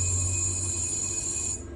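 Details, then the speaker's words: Galaxy ultrasonic probe sonicator with sound-proof chamber, 6 mm probe, pulse on/off mode: thin high-pitched whine for about a second and a half, cutting off cleanly at pulse off; normal cycling. "അൾട്രാസോണിക്കായിട്ടുള്ള സൗണ്ടിൻ്റെ കാരണം അവിടെ bubbles create ആയിക്കൊണ്ടിരിക്കും. പിന്നെ pulse on and ഓഫിന് variations വേണ്ട കണ്ടോ ഇവിടെ വന്നുകൊണ്ടിരിക്കുന്നു."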